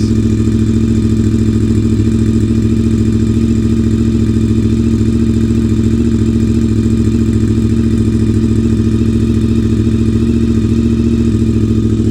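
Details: Honda VFR 750 V4 start-up after valve seat work: steady, even idle with smooth regular beat, no misses, stumbles or blips; engine sounds healthy.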